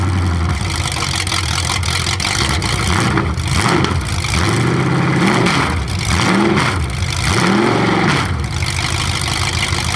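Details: 427 big-block Chevy V8 on an engine run stand, first fire after sitting a long time; distributor timing just adjusted, owner suspects the wrong way. Deep even idle through open headers with clean blips, no misses or knocks; normal idle and revving.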